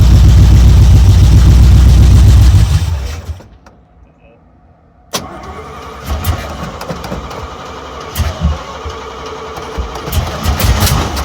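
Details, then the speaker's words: 1972 Chevrolet C10, warmed up in about 40° weather, given a couple of throaty revs that settle back to a steady burbling idle; good oil pressure, revs cleanly: normal engine revving. "all right getting pretty warmed up now we'll give it a couple of revs and then we probably shut her down"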